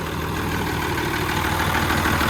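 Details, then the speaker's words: Cummins PT-pump diesel in a Freightliner cabover, after work on the leaking AFC screw; owner unsure whether the pump front seal leaks. Started pretty easy, then a steady, even low-rumble idle with no knocks or misses; normal diesel idle. "But we're gonna see it start up. So let's turn the key. There's the exhaust. started pretty easy."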